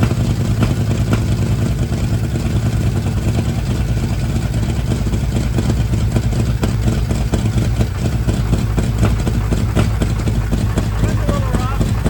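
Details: 1960s Ford Mustang with factory 302 V8, untouched for years in Alaska, carb just hooked up and fresh oil added: loud, deep V8 rumble with uneven, lumpy beat on first run after long storage.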